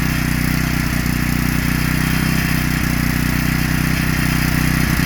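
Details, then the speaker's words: Generac 3500XL generator after pulls on full choke, with the bad low-oil sensor bypassed by a previous owner who had disconnected its wire. The small single-cylinder engine holds a steady, even beat with no surging and no longer shuts off. "Let's see what happens after a couple pulls. It's running. Not shutting off now."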